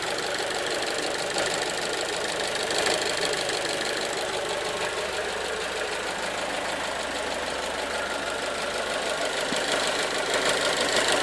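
Steady engine run with a fast, fairly even light ticking-knock over a hissy background; a knock is present but its source is unknown.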